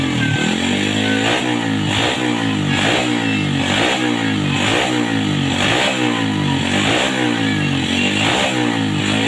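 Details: 2007 Yamaha Vega R single-cylinder motorcycle after carburetor cleaning to cure sputtering and coughing: blipped about every second and a half, revs rising and falling cleanly without stumbling, now pulling smoothly.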